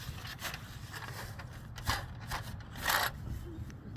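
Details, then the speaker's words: Tesla hubcap, bought used, shaken by hand: scattered light metallic clicks and scrapes at no set rhythm. Its metal retaining clips are too loose and rattle; fix is to spread the clips so the rim presses against them. "if it's too loose it'll Rattle and that's what you hear is when these These are too loose"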